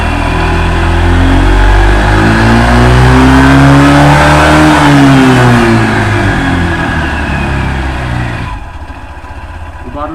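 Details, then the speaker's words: Honda ADV 150 scooter, CVT area, once warm after riding. The engine revs and settles with a smooth, even drone and the earlier strange cold-start CVT noise is gone; the dealer attributes it to cover bearing grease before warm-up. Normal running when warm. "After I ride, it returned to normal... It's characteristic of the motorcycle noise and that's what I told you about."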